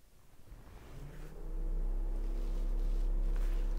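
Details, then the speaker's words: Honda/Acura radiator fan commanded on through a scan tool actuator test, no trouble codes stored: low whoosh spins up over about a second and a half, then a steady even hum; fan working normally. "radiator fan that's a good one let's check to see if my radiator fans are coming on here we go so let's turn it on right now it says"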